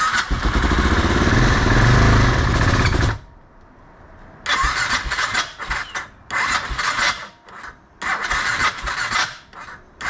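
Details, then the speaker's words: BMW F650 with blown head gasket after sealer treatment, plugs cleaned after idling on choke, battery nearly full: long cranking and short bursts with no start; sealer appears not to have worked. "okay let's see if we R guys that's a no and I don't think this stuff worked"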